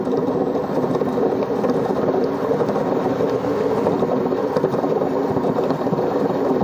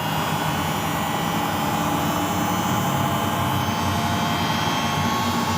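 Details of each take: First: Single-tub washing machine drum turning: steady, coarse rumbling drone with no letup, the low growl of worn drum bearings before bearing replacement. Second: Samsung front-loading washing machine after bearing replacement, drum spinning at speed: an even, steady whoosh. The earlier snoring noise, caused by the bearing being loose on the shaft, is gone; normal spin.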